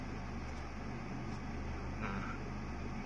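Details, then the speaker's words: 2012 Toyota Vios after spark plug replacement, idling about 700-800 rpm with AC on (about 800 without), owner checking for rpm drops and surging: steady low even drone with no dips or hunting under AC load; normal idle. "Hai RPM masih menunjukkan sekitaran 700-800 ya karena beban AC jadi mesin agak berat"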